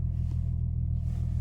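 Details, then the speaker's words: Infiniti G35 Sport HR sedan after fixing tiny ISR Y-pipe exhaust leak (loose/missing bolt); steady smooth low rumble, idle still slightly high, maybe 50 RPM over, drops a bit slowly; no misfires or knocks. Slightly high idle. "it's like slightly high, but it's perfect. You feel me? It's good. It should be like maybe like, I don't know, maybe like 50 RPM lower."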